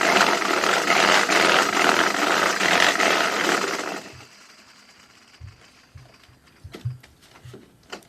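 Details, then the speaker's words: Homemade curved gravity roller treadmill with bare rollers being run; a loud, hard clattering racket pulses about twice a second with each stride, and a rubberized belt or inline-skate wheels are planned to reduce it. Roller rattle. "as you could hear there that makes quite a racket so one of the changes we're going to try and make is put on a rubberized belt to reduce the noise"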